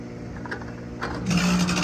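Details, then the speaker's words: AC outdoor unit not cooling, tested with all three fan motor wires disconnected so only the compressor runs: a quiet hum jumps to a loud, harsh buzz with a strong low drone, from a failed compressor. "现在我们来试一下，应该就是风机的声音，应该就是不是风机声音，应该就是压缩机的声音，压缩机坏了。"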